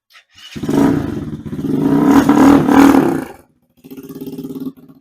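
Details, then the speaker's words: Boom Vader 125 Honda Grom clone after a wash and air-hose dry: starts at once, revs briefly, settles into a steady, even idle putter; electronics still work, washing did no harm. "Still fires up. All my electronics still work."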